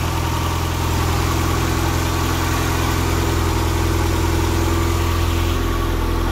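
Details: Nissan engine now running on a Link ECU after refitting the stock crank trigger in place of the 36-1; started slightly rich. Smooth, steady idle with an even low rumble and no misses, ticks or knocks; engine idles healthy.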